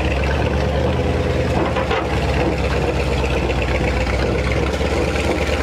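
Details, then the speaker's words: 1957 Viking truck revived after sitting abandoned over 50 years, creeping along in low gear: low engine drone under a fast, steady clattering chug from the driveshaft. A worn carrier bearing is suspected. "Hear that carrier bearing. It's all open road from here. Drive shaft sounds terrible. Sounds like a choo-choo train coming down through here."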